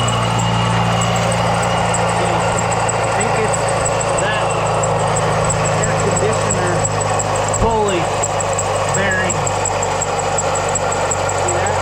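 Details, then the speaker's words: Jeep Wrangler at idle with the AC switched on: steady idle with a faint rough bearing rumble and intermittent light chirps or squeaks from the belt end; AC compressor pulley bearing suspected worn, and the AC is not working. "so I've got a strange noise I'm coming from my Jeep so I think one of my bearings is going out I think it's to the air conditioner unit"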